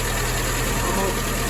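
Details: 1961 Triumph TR3A four-cylinder, warm, after carburetor work, during twin-carb balancing with airflow gauge: short even idle, steady low beat, no misses or knocks; idling smoothly.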